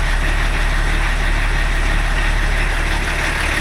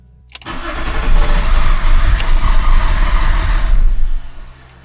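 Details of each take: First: BMW E34 TDS diesel idling after first service in over ten years: steady, even low chug, earlier knocking gone; EGR pipe blowing by, possibly noise-related. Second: BMW E34 TDS diesel, first service in over ten years, water pump and rollers removed: catches with a rough low clatter, runs about four seconds, then stalls from fuel starvation because the fuel filter was empty.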